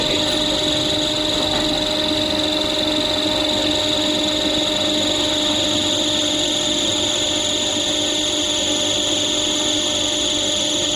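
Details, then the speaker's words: CP industrial air compressor: high-pitched "choo" squeal over running hum that comes and goes, from a loose slipping drive belt; fix by tightening and aligning the belt or using belt spray. "ये चू का sound cut हो गया ऐसा ही रहता है कभी आता है कभी नहीं आता है तो इसमें आपको क्या करना है बस को टाइट करवा लेना है"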